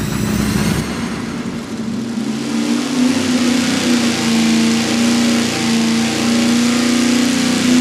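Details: 500 hp V8 fed by a 20 gallon-per-hour mechanical fuel pump with -8 ports, on a wide-open pull. A loud steady note wavers and stumbles near the top as fuel starvation leans out the engine.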